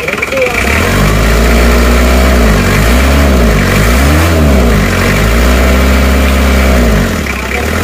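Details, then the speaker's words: Isuzu Panther 2.3 diesel just rebuilt with new water pump, shortly after first start: even clatter at idle with a few smooth throttle blips rising and settling back, no misfire; normal diesel idle. "cek dulu kemarin saja sudah ngobos sekarang lihat sehat walafiat Ya aman halus suaranya halus"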